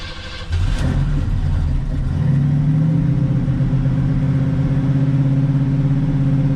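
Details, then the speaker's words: 1986 Oldsmobile Cutlass 442 (G-body) with a rebuilt eBay Quadrajet carburetor, cold start after sitting two days, two throttle pumps: short crank, catches within a second, settles into an even fast cold idle; far better than the old carb's long cranking. "It wasn't like instant, like fuel injection, but it was way better. Maybe it needs 3 pumps. Try that next time, but things are looking good."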